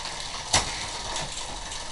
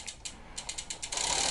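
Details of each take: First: Road bicycle after fitting a new rear derailleur and reinstalling the chain's master link correctly: light ratchet ticking and crisp shift clicks, no grinding or chain rattle; drivetrain now quiet and correct. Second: Road bike after rear derailleur install, pedaling and shifting: rapid ticking clicks then continuous hissy scraping, noisy drivetrain; chain routed on wrong side of derailleur rubbing, B-screw first suspected.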